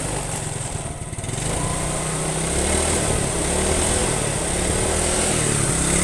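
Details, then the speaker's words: Yamaha Mio scooter after carburetor repair and setting for hesitation on first throttle, heavy fuel use and low power: buzzy single-cylinder note climbs smoothly with throttle, no stumble or hesitation; normal idle and revving. "Jadi udah kayak normalnya lagi ya. Jadi digas sedikit aja itu udah ngisi gitu kan. Jadi RPM-nya langsung naik. Jadi gak ada berbet sama sekali ya."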